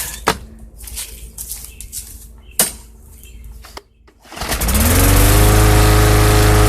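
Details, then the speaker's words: Bolens/MTD 11A-B0BL765 21" push mower, 2014, Briggs & Stratton 500 E Series 140cc, no-start from old fuel, after fuel tank clean-out: some clatter, then a pull start catches into a steady, even drone, running clean. "there you go old fuel does it to you every time all right well that's running great couldn't ask for no better it's ready to mow grass there okay"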